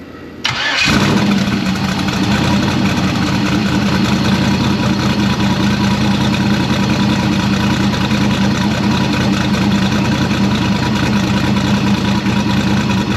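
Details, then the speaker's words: Engine's first start since October: it cranks, fires at once and settles into a steady, even idle with no knocks or misses. No fuel leaks; the car runs pretty well, though something on the accessory drive wobbles. "well no fuel leaks car runs pretty good it's obviously still little things here there"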